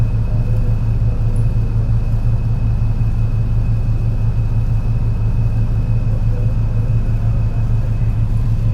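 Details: MAN NL202 CNG bus with ZF Ecomat 5-speed gearbox climbing a hill under load: heavy low engine drone with an uneven pulsing stumble about once a second from a bad engine misfire.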